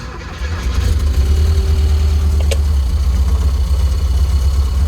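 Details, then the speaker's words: 1971 VW Squareback fuel-injected engine catching after a brief crank, no smoke: low uneven pulsing idle, possibly still missing on a cylinder, though much smoother than before; rough idle, cause unconfirmed. "But it is smoothed out tremendously. Kind of get it going. But from what it was, it's definitely smoothed out."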